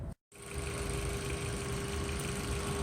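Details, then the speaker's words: Fuel injector heard through an electronic mechanic's stethoscope with sensitivity control: fast even ticking over steady engine hum; moved to the valve cover it picks up little; normal fuel injector clicking. "so this is a fuel injector clicking if I put it on the valve cover you can see it doesn't really pick anything up"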